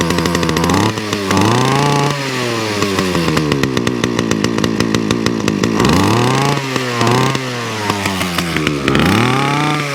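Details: Titan mower small engine after a cold start, primed, choke moved to mid to warm off: runs strongly, speed rising and dipping as it warms, with no misses; runs healthily.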